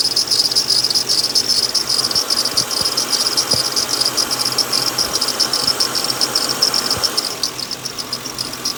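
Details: 2007 Lincoln Town Car at idle: steady, continuous cricket-like high-pitched chirping over quiet idle from a bad, noisy idler pulley bearing; fixed by replacing the idler pulley.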